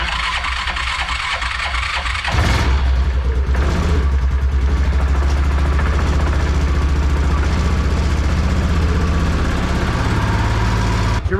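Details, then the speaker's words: Yamaha Rhino 660 UTV, single cylinder, after top-end repair of blown head gasket, choked start with covers off: catches after about two seconds into even, strong thump, no knocks or misses; runs good but obnoxiously loud. "so seems to run pretty good man this thing is loud though it's like obnoxiously loud"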